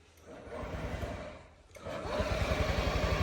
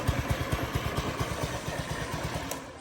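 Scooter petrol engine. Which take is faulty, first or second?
first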